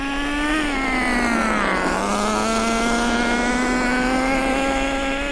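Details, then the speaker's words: Nitro RC car during engine break-in, driven at about quarter throttle: high, buzzy engine note holds steady, dips briefly and recovers cleanly with no sputter or cut-out. Normal running at part throttle. "That's a quarter throttle. I'm not doing any more than a quarter."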